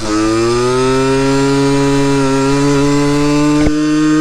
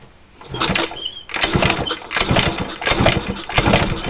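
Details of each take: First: Yamaha RX50 50cc two-stroke barn find on top speed run climbing hills, after leaning a too-rich mixture: buzzy note climbs smoothly, dips at a shift, pulls cleanly again; more power, running strong and clean. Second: Yamaha RX50 50cc barn-find bike on a kick-start compression test: weak chuffs with no firing, and the gauge won't reach 30 however often it's kicked. The plug looks caramel brown. Low compression; top-end rebuild planned.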